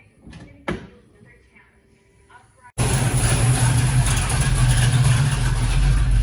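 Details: 1974 Pontiac GTO 455 V8 after carburetor rebuild: near silence with one knock, then catches and settles into loud steady even idle with no misses; normal idle.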